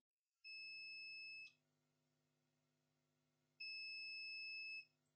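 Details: Acer Aspire E1-571 laptop with no power, multimeter on continuity across capacitors reading zero: two steady high beeps about a second each; the 19 V rail is dead shorted to ground.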